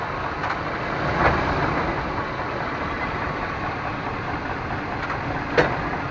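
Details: 1998 Chevrolet Suburban K1500, 5.7L, 4L60E automatic, 177k miles, in 2WD at idle: two sharp single clunks a few seconds apart shifting between park and drive; owner also hears clicks driving uphill; cause unknown.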